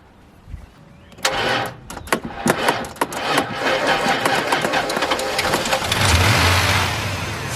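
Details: V8 (owner thinks a 315), completely dead, jump-started using a Stanley FatMax booster: clicks and cranking for a few seconds, then catches and settles into an even rumbling idle; starts fine off the booster.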